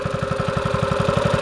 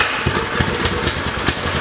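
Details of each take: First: Mini bike after swap to 6.5 Predator engine with a cam, hot after riding, chain very tight: deep single-cylinder throaty thump about eleven beats a second, fairly even; healthy cammed idle. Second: Predator engine swapped onto a mini bike, sat unused on another bike for a year with possibly old gas, pops unevenly, stumbling and surging; rough running, carb trouble suspected.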